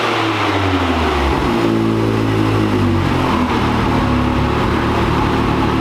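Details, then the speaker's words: 2022 Can-Am X3 on the dyno with big-injector tune, still on the stock clutch: under full load the revs suddenly flare like a free rev while the pull doesn't increase; the factory CVT drive clutch is slipping. "So we're definitely pushing the limit of the factory clutch. You can see, you can hear it in the video. I'm sure you can probably hear it, but you can see it in the dynograph. I can hear it real bad. Like you'll hear this like free rev almost"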